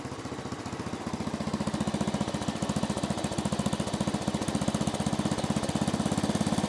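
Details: 1970s Massey Ferguson MF-12 garden tractor, Tecumseh 12 hp single-cylinder, running after the cracked head was replaced: thumping about three beats a second, slightly uneven in strength, rough idle; owner suspects the carb.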